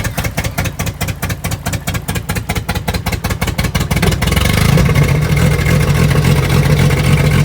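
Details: 1990s Jeep that previously fired but would not run, revived and primed: choppy pulsing as it catches, then a steady, even low idle with no misses or knocks; normal start and idle.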